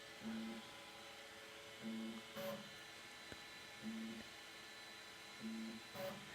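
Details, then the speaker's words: Elegoo Centauri Carbon 3D printer, new, initial setup: roughly 6x6 or 7x7 automatic bed leveling, probably the slowest setup step, quiet short motor buzzes about every 1.6 seconds with soft taps; normal probing. "Uh this part takes a long time to uh bed level. If it's going to go through from front to back, this is what takes uh the probably the most time in the setup process."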